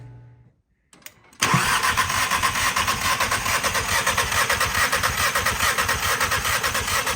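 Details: 2017 VW GTI during compression test after a broken spark plug piece was removed: starter spins engine with an even, steady chug about two beats a second, no firing; healthy compression, about 190 psi on cylinders one and two.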